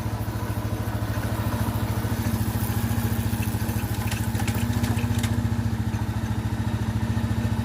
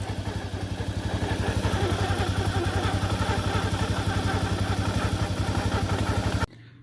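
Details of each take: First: Itálica Z150 motorcycle idling smoothly in gear after transmission gear bushing repair; even low thump, the previous humming when engaging gears gone in first through fifth; normal idle. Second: Italika motorcycle idling, buzzing rattle only when a gear is engaged, fine in neutral; customer told it was clutch plates, but cause is a worn bushing in the transmission gears.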